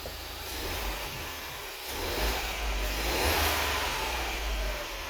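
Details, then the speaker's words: Ford Fiesta, believed 1.0 litre, with lean code P2187 and engine light after refuelling: after the fix, idling in closed loop as long-term fuel trim comes down. A steady low hum under hiss with no stumble or hunting; normal, much-improved idle. "Look at our long term is going down. Idling is also much better. Idling is much better."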